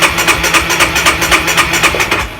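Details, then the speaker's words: Honda RS150R motorcycle, before spark plug change: starter cranks in even pulses about four a second for over two seconds with no firing; won't start after three tries, owner suspects the long-unchanged spark plug. "Tried 3 times already but still can't start it up."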